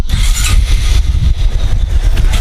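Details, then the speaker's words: Honda Supra 125 FI idling after full engine teardown, crankshaft bearing replaced, crank centred and cam chain adjusted: steady even putter with no knock or rattle; engine now smooth, normal idle. "Oke mesinnya udah halus ya Lus Lus ya sudah halus padahal enggak ada yang diganti aneh-aneh ya cuman itu bearing bandul"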